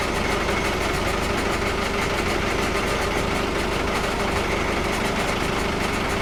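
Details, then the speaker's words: Volvo Penta KAD32 diesel (starboard) in a 2001 Sealine S28, just after an impeller, primary fuel filter and oil service. Steady even idle with no misses or surging as revs recover once the airlock clears and the new fuel filter primes. "There we go. Sounds like the revs are coming up again. So that should have primed that fuel filter now."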